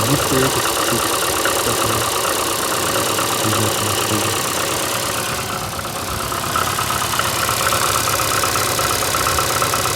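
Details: VAZ 2115 8-valve at idle: uneven running with a light irregular ticking knock near three per second and a rubbing undertone. Began after cylinder-1 head gasket failure and fluid change; misfires cold, rubs when warm. Cause unknown.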